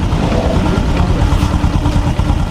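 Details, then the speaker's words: Honda Supra X 125 after rebore with new piston, connecting rod and crank bearing, head refitted: low, steady single-cylinder idle, smooth and even, no chain slap or ticking at the tensioner; clutch linings possibly faulty, valves to be re-adjusted. "ini bisa teman-teman Dengarkan lagi suara mesinnya lembut"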